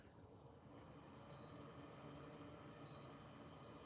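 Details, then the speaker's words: HCALORY 8 kW portable diesel air heater run in a garage, exhaust out the window: soft steady whir with low even rumble building up as it starts normally; owner says it will soon sound like a jet plane. "it's going to start sounding like a a a a jet plane in a minute close that up"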